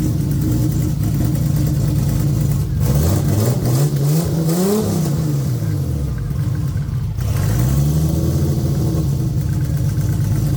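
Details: Very loud turbo engine in a car, on its final start with battery and everything plugged in before a planned custom harness; it idles, then revs up and down smoothly with no misfire or stumble. Normal running and revving.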